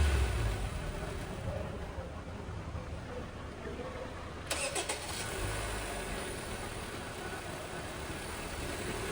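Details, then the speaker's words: 2019 Honda Civic after replacing the cracked drive belt, noisy auto tensioner and idle pulley: engine starts cleanly and idles smooth and quiet with no squeal or chirp from the belt side. "गाड़ी को स्टार्ट करने के बाद इंजन का साउंड मैंने आपको सुना दिया है। सारा काम हमारा बिल्कुल कंप्लीट हो चुका है। गाड़ी के अंदर किसी किस्म की कोई नॉइज़ नहीं है।"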